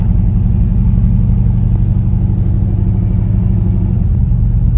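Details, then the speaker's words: Dad's Chevy C10 after an LS V8 swap with a self-rebuilt transmission, test drive in second gear: deep V8 rumble lacking punch with an uneven beat, a miss under load; owner suspects bad fuel trim from a massive exhaust leak, unconfirmed. "Yeah, it definitely sounds like she's she's low on power. Definitely hear a miss of sorts."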